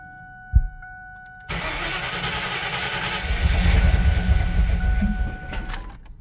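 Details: New V8 in a Ford Ranger, start after adjusting valve preload: long cranking, reluctant catch, rough running before dying. Running lean.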